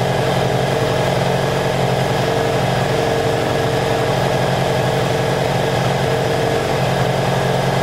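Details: 1984 Honda Saber VF700S V4 after long storage, running with the airbox off: even, continuous idle with a steady rhythm and no stumbling or knocking; sounds good, though it should run better with the airbox fitted for carburetor back pressure.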